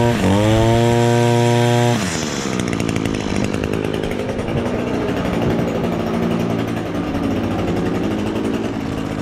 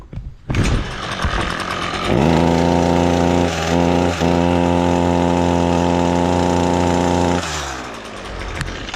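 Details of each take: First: Echo SRM-225 two-stroke string trimmer, previously bogging down from a clogged exhaust screen, now revs cleanly at high speed and drops back to a steady idle after the screen was removed. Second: Echo SRM-225 string trimmer: runs low, flat and underpowered, bogging with no crisp rev, because carbon has clogged the exhaust spark arrestor screen. Fix: remove the top cover's screws (likely T16 Torx) and clean or remove the screen.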